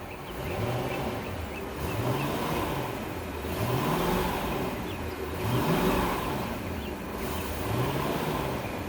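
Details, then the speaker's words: 2001 Sea Ray 225 petrol engine running in gear on a garden hose, temperature stabilized at 150, pumping water; smooth with a slow gentle swell in revs every couple of seconds, no knocks, misfires or stalling, healthy. "Good. It went in gear. No stalling or anything like that. I believe this motor will check out just fine."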